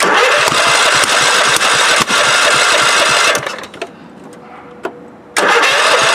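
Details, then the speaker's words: 1998 Scott's lawn tractor during a DIY swap to a Kohler CV16S engine, with choke on: the engine cranks and sputters in ragged bursts and tries to catch, then dies back; hard starting, not yet sorted. "Choke, key, fuel on. Oh, he wants to. Oh, it's struggling. It wants to, though."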